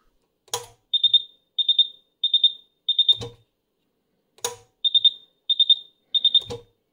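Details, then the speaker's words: Karl Storz SCB Thermoflator 26432020 medical insufflator (2006) on the bench, drawing 180 W heating incoming CO2: repeating groups of three quick high-pitched beeps, four groups then a pause; low CO2 supply alarm. "that sound this clickity clackety sound was just absolutely scaring he's using 180 watts and that is of course because it's trying to heat up the incoming CO2 and it's complaining we got low level of CO2"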